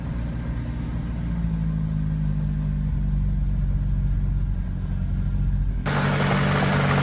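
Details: VAZ 2104 with turbo engine: light, uneven tapping about four per second over rough idle; engine knock, source unknown though chain is fine, tensioner new, valves adjusted twice.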